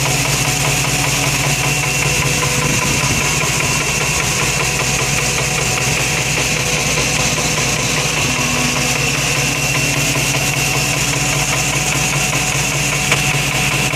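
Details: Steady engine idle with a fast, light, crisp tick on top of the engine hum; top-end ticking noise at idle.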